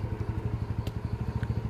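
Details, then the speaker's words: Yamaha Mio after carburettor service and long needle/air setting: fast, even pulsing under full throttle, no misfire or hesitation; starts easily, running clean. "wah ini jadi mantap sekali guys"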